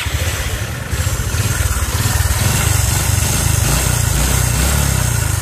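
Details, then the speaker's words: Honda Future 125 motorcycle with a failed cam chain tensioner: steady single-cylinder idle with a light, fast rattle riding over the beat; cam chain tensioner noise. "Ừ rồi hôm nay là mình sẽ nhận xe của anh này là bị hư cái tăng cam nè Cái tăng cam cái bánh tăng ca mà"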